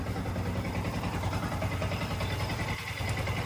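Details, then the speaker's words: Yamaha R15 after engine rebuild for a seized engine: earlier clacking gone, quiet, even single-cylinder idle with no ticking or knocking, silent like a new bike; normal idle. "แก๊กๆเดิมหายไปหมดแล้วนะฮะอันนี้เครื่องกลับมาเงียบนิ่งเหมือนรถใหม่เลยนะ"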